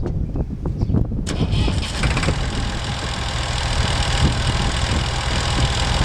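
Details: Massey Ferguson 135 diesel tractor, cranked until oil pressure showed before letting it start: brief cranking chug, then catches and settles into a steady even low knocking idle with no misses, normal start.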